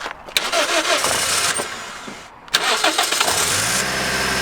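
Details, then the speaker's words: Cheap Mk2 Toyota Yaris SR 1.8, sat in a field nearly a year, started on a smaller Fiat 500 battery: brief starter whirr, a pause, another crank, then catches into a steady, even idle; alternator later found faulty. "Moment of truth, see if the Fiat 500 battery is going to start this."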